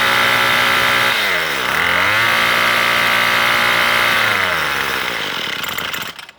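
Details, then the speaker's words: Troy Bilt two-stroke weed eater that was bogging down, carb already adjusted, still cold and warming up: high buzzy revs sag sharply about a second in, pick back up unevenly, then die; rough running while cold. "Now you can see it's rough. It's still warming up."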